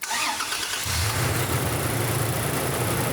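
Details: Car cranking but not starting: with the mass airflow sensor unplugged the engine catches right away and settles into a steady idle, so the sensor is faulty.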